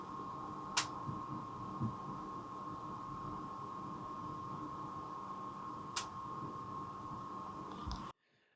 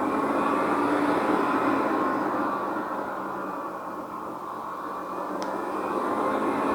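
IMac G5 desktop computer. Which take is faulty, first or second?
second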